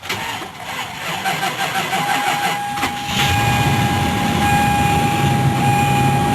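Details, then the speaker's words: Car with 118,000 miles, dead battery, jump-started with a jump box in freezing December cold; cranks, catches after a few seconds, settles into steady, slightly rough idle; hard cold start, airbag light still on. "Oh, this is a tough one. She's running."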